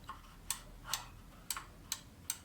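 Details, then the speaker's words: Centurion XTrac garage door opener during installation, limit switch alignment: crisp light clicks about two a second as the needle engages the limit switch; normal. "Can you hear that clicking? That is the limit switch."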